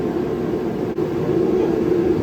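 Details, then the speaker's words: Used 30,000 BTU propane heater bought at online auction, first test run: constant even roar of burner and fan with no sputter or pops, kicking out good heat, normal operation. "That's kicking out with some good heat."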